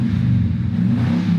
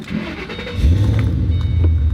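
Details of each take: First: V8 with modified free-flowing exhaust, codes for low catalyst efficiency banks 1 and 2 and misfire: deep loud rumble with occasional pops, which are misfires caused by the exhaust modification. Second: 2008 Ford Mustang Bullitt V8, 60,000 miles, hood the only modification: starter catches and it settles into a deep, lumpy, even burble with no knocks or ticks; healthy start-up and idle.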